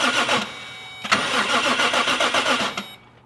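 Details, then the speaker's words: Engine in neutral with the rear raised, cranked by a Power Probe 3 feeding power straight to the starter wire: a quick, even whirring crank of about three seconds that stops cleanly. Normal cranking. "That's pretty awesome. This thing was able to turn the engine."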